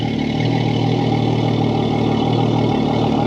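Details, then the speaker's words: Yamaha F300 XSB2 4.2 V6 outboard at its 100-hour service, idling on a flush hose after new oil, oil filter and spark plugs; steady, even low idle with a smooth rapid firing pulse, no knocks or misses; normal idle. "We'll go from there. Everything sounds good. She's nice and smooth."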